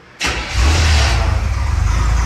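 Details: 1954 International pickup just fitted with a new ignition switch. Key turned; silence, then a sudden catch and brief flare of revs settling into a steady, even idle. The engine starts cleanly.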